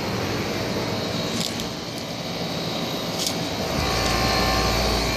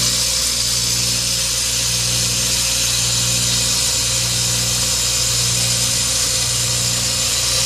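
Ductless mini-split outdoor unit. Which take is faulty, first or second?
second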